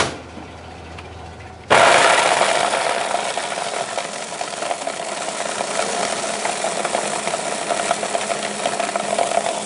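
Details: Countertop blender runs with a steady roar and a coarse, rattling grind as hard candy-bar chunks still tumble through the blades; the grinding stops once the mix is done.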